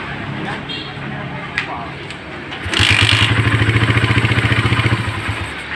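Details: Suzuki Satria FU150 with a Keihin PE28 carburetor: starts after a short crank and settles into a steady, even single-cylinder idle at about 3–4 beats a second, healthy.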